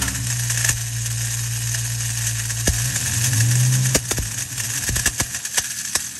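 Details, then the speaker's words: Ford Mustang with gritty drone and irregular sharp clicks, traced to the bottom of the engine. Throwout bearing ruled out because the noise stayed with the clutch cable disconnected in neutral. Suspected starter not fully disengaging, its drive dragging on the flywheel. "finally we checked the starter and it definitely sounded like it was coming from the starter so our idea was the starter was probably not fully disengaging and"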